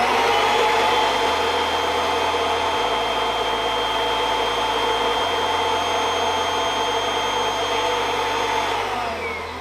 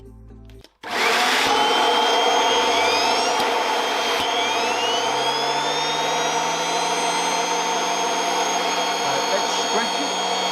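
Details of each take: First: Kirby Avalir vacuum with the stretch hose fully stretched (wrapped around a G6): a steady vacuum roar with a high motor whine, and the brush tool spins noticeably slower from reduced airflow. Water lift is then measured at about 130 inches. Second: Kirby Avalir vacuum driving a turbo sander through the stretch hose, unstretched at about three feet: motor spins up quickly, then holds a steady, even hum and airy whine at full speed; normal sander speed before stretching reduces airflow.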